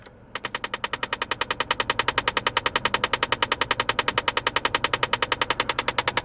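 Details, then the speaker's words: 2004 Saab 9-3 2.0T Vector 150bhp convertible, automatic, air conditioning running: rapid, even, high-pitched clicking of about a hundred per minute over quiet fan noise, intermittent and louder at higher fan speed; a jamming heater recirculation flap, as diagnosed by mechanics. "so you can hear that it does stop it doesn't go on forever that is the recirculation flap which we've had diagnosed by our mechanics so the heater unit has a recirculation flap and it is jamming and that is what's causing you to hear that noise"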